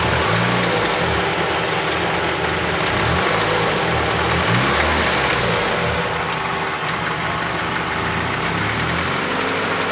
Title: 93 civic knocking sound